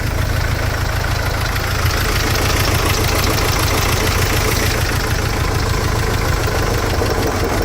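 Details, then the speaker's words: Mercedes Sprinter diesel idling lumpy and uneven with an occasional stumble; definitely missing on one cylinder. Diagnostics then show cylinder 2 smooth-running correction value out of permissible range; number two injector suspected. "oh but they still loving itself but she's definitely missing"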